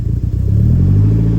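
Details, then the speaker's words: Saab 900 cold start at about 50°F, after cleaning the idle air control valve: engine starts, but idles low and lumpy, surging up and down instead of holding steady; cold-start issue fixed, unstable cold idle not. "Well, you can tell we got one issue fixed, but that idle issue is"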